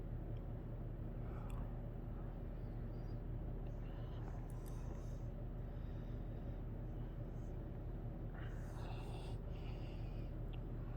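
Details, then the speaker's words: 1990 Halsey-made Wholesale Merchandisers Seville 52" three-speed reversible hugger ceiling fan, 12° blade pitch, on medium: steady even low hum, slight installation hum, no bearing noise or rubbing, over whole-house fan drone. Normal running. "I think this fan does have a bit of home to it which is going to happen on this installation here but other than that it's pretty quiet no bearing noise has a pretty average low speed"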